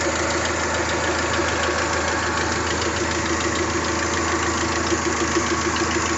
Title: 3sgte minor rattle noise